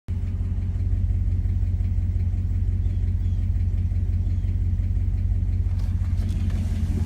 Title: 5.7l hemi 4th gen ram ticking noise hot start